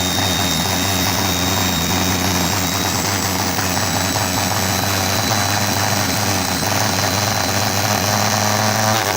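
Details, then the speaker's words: Salvaged universal washing-machine motor on bench at high speed, needs variable control or it accelerates until bearings disintegrate: steady high-pitched whine over even rushing roar, no knocking or scraping; normal running. "thinking to these universal motors once I start going they'll they'll just accelerate and decelerate so you do actually need a variable control on those"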